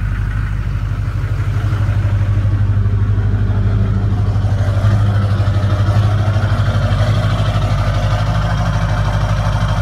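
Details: 2002 Duramax LB7 cold start after a day of snow, AFE intake, 4" MBRP straight-piped exhaust, EFI Live tune, Edge CTS2: steady deep diesel clatter at raised idle, even and unbroken, loud open exhaust; cold engine running healthy.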